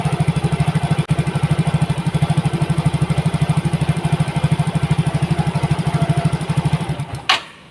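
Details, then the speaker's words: Yamaha Mio GT fuel-injected scooter before injector replacement, stalls without throttle: low idle thumping about three beats a second, uneven strength, then dies; dirty injector, mixture trim at 24.8%, intake pressure normal at 33. "Jadi motor ini itu peak kerusakannya adalah di injektor."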